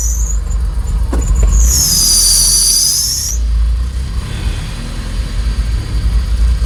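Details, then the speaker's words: Honda Civic B20 engine at first start after Yonaka exhaust install: piercing high squeal about a second over the idle, then fades; owner suspects belt is a little too tight; exhaust leak and vacuum leak also suspected. "in my belt my being little too tight what sound like a sonar pretty good"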